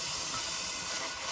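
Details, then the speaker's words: Peterbilt 579 truck, engine off: steady, high, even hiss of an air leak; owner suspects a line into the leveling valve, bottom side on the other side of the frame; not confirmed. "I think it's a line going into that to leveler right there on the bottom side, on the other side of the frame."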